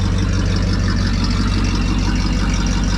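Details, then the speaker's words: 1974 Ford F100 4x4 with 390 FE big block, long sitting, after diagnosis and adjustment: deep, steady idle with an even low beat, no more popping or burbling. "but it's running good no more Pops and no more burbles"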